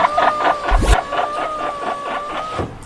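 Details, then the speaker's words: Volkswagen Passat power window: steady motor whine with an uneven squeak about twice a second as glass travels, traced to the regulator's two pulleys; lubricating them was the fix tried instead of replacing the assembly. "我们看到啊，这个玻璃升降器在这个部位有2个滑轮，声音大概就是从这里发出来的。"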